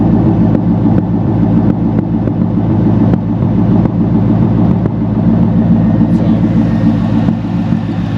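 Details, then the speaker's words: Worn 330,000-mile C5 Corvette: steady low idle with an uneven, slightly lumpy beat and the odd stumble, suggesting a mild misfire; the owner suspects the spark plugs and wires need replacing. "i don't know the engine's quiet she's quiet sounds like it has a little misfire probably i need to do the spark plugs on it wires"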